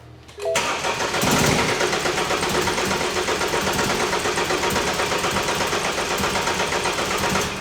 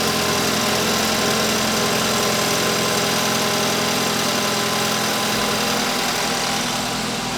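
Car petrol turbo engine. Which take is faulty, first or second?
first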